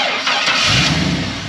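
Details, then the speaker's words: 1971 Chevrolet Blazer resto-mod with LS 5.3L V8, 700R4 automatic: quick crank, catches at once, settles into even idle with no knocks, ticks or funny noises; extremely smooth healthy start. "That 5.3 fires right up. Nice and tight. No funny noises. That was extremely smooth."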